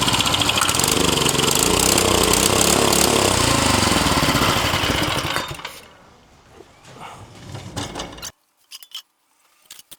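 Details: Vintage Tote Gote minibike small single-cylinder engine after replacing a gummed-up carb: catches and runs hard and even for about five seconds on starting fluid, then dies as the fluid burns off.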